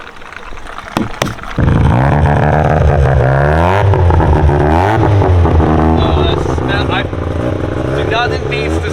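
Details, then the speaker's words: Mazda RX-7 rotary, just filled with an ethanol mix, gives a couple of sharp bangs then settles into a deep, smooth, steady drone with an even burble and no misfires; owner says it runs smoother on ethanol than pump gas. "he likes it sounds happier on it doesn't it like you can always hear when you when you switch pump gas out for ethanos the edges just sound it feels smoother"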